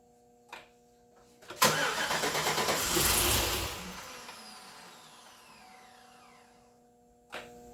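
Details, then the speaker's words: 2008 Chevrolet Suburban new engine, stock throttle body, early start attempts: cranking catches with sharp pop, ragged uneven chuffs spitting back through throttle body, then dies; ignition wiring order questioned; backfire through throttle body. "I mean, I hear it kind of backfiring through the throttle body a little bit. You know. Yeah. I hear that a little bit."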